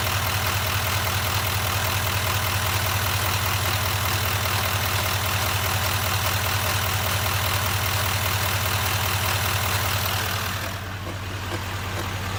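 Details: 2019 Silverado 2500 HD L5P diesel at idle: loud, sharp, even clicking/tapping about 2.5 times a second from the front of the engine; cause unknown.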